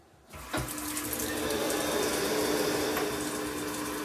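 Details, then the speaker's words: Rinnai gas water heater after replacing the water flow sensor: water rush, sharp ignition click, then steady burner hum; it now fires and heats after not responding. "Now it's on fire, see? That's the problem. Well, this water is also hot"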